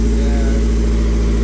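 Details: 1995 Honda Civic EJ1 idling right after an engine swap to cure rod knock, first start and warming up with some smoke: smooth, steady low hum at idle, no knocks, ticks or misses; running healthy.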